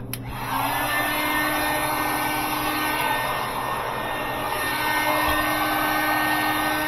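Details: Sub-Zero 427R wine system after high-side freon leak repair and switching valve replacement: click, then steady even compressor hum, no rattles or surging, temperatures dropping; normal compressor running.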